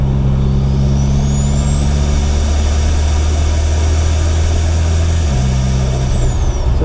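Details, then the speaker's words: Mitsubishi Evo X with new 5656RS turbo and 1200cc injectors, engine still cold, driving through the gears without hitting boost: loud high whistle climbs and holds over engine drone, then drops off, like a jet; normal turbo spool. "i think sounds like a jet taking off"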